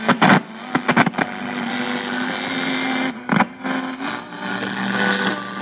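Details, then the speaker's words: 1930s Air Castle radio with homemade antenna: hiss with faint stations fading in and out and sharp crackles; reception improves with a hand on the antenna and disappears without it; weak reception. "see i'm put my hand on the antenna here and it's actually getting a better reception today i take my hand off of this i don't get any reception"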